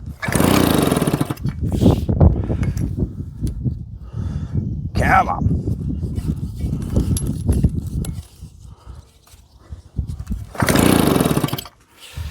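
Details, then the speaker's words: JAP 36cc two-stroke engine on a Stuart water pump: repeated rope pulls give short fast chuffing bursts that never catch. The mic is hitting the engine and there is no kill switch. "Now she don't like that at all. She certainly likes throttle."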